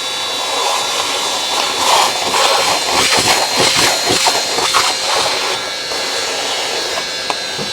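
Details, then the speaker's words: Worn wet-vac motor mopping up spilled workshop coolant gives a high, rough howling whine with a thin steady tone and uneven surges; the owner marvels that it keeps running. "Oh, how that motor is hanging in there, I do not know."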